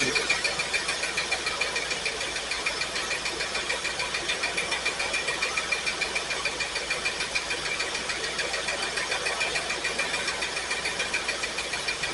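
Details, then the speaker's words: Firebird V8 idling after first start with fuel added to tank and carburettor: regular uneven pulse, three or four stumbles a second, hollow beat; cylinders 8 and 5 not firing well, suspected fouled plugs, not confirmed. "Well, it looks like number 8 and number 5 cylinders are not firing very well. It's probably just crap on the plugs."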